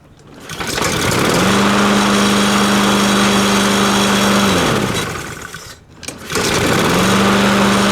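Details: Curb-found Honda 160 mower that wouldn't start because the fuel shut-off valve was off. With the valve on, it catches and settles into a steady, even buzz, dips briefly and picks straight back up, running normally.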